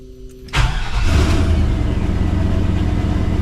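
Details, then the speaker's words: 1986 Chevrolet C20 Suburban with 6.0 LQ4 LS swap, after replacing camshaft position sensor (code P0343, hard starting and backfiring): short crank, prompt catch, steady even V8 idle, normal start; exhaust leaks still present. "that sounds better firing up pretty good"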